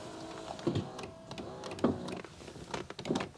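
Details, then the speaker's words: 2001 Mercedes S-Class driver door: the window motor whirs in short runs, broken up by rattles and clunks from loose glass. The glass seems not to be attached to the window regulator, and the door is to be opened up. "So, I'm going to open this up and see what's happened down here cuz it seems like the glass is not attached to the window regulator."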